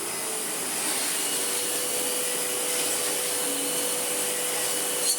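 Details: Sebo ET-H powerhead fitted to a Sebo Airbelt C3 Power vacuum, plugged into the wand: steady, even motor whir with a bright airy hiss, no surging, rattle or grinding; powerhead running normally.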